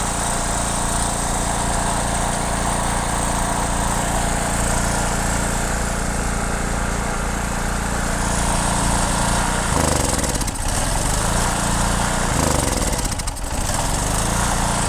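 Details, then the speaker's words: Generator (said to be German) runs only on choke, holding a steady drone with brief speed dips, and stalls when the choke is reduced. A clogged carburetor is suspected, so the carburetor is removed and its jets cleaned. "Ось як бачимо на підсосі він працює то зараз збавлю він глохне Я думаю що забитий карбюратор будемо дивитись"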